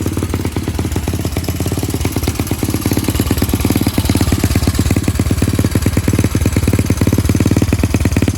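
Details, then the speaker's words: Honda CT125 second engine, previously seized and never run, rebuilt missing one piston ring, with exhaust and muffler fitted: the single runs with a fast, uneven, slightly ragged, breathy chuff of about three beats per second. Low compression from the missing ring. "it's gone back together missing a ring but uh we have a a big ball Barrel we've got a spare piston and all sorts of other bits and pieces"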